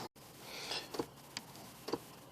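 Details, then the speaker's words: Ford Explorer, key on, HVAC set to heat but stuck on AC: faint sharp clicks about every half second in the quiet cabin from the blend door actuator, unable to move the blend door. "all right if you listen real close just have the key on and you'll hear the click click okay that's what the actuator door sounds like because it's not able to blend"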